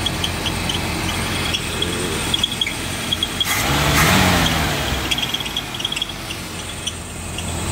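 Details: 1966 Mustang with 289 V8, just got running, hot day: high thin squeak about three to four times a second over steady V8 idle; squeak source not identified.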